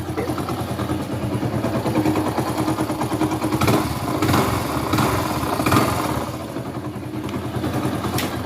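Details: 2017 Hero HF Deluxe single, fully rebuilt 10 months earlier, oil full and no white smoke: a rapid, uneven clattering knock at idle, starting ten days ago, traced to a worn crankshaft-side main bearing, not the connecting rod.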